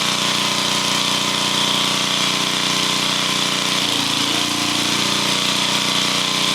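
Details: Welder engine after valve repair, new head and valve cover gaskets, runs steady with an even drone and no knocks or ticks; sounds healthy, valves sealing.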